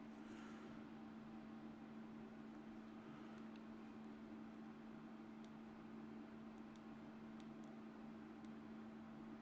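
Quiet, steady low hum with an even airy hiss and no rattle or wobble; the cooling fan is running normally during cool-down.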